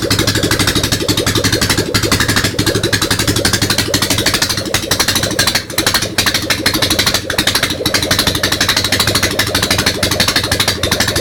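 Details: Ural motorcycle engine at first start after an overhaul: lumpy, uneven beat about three pulses a second with a rattly top end. The twin is running on only one carburettor.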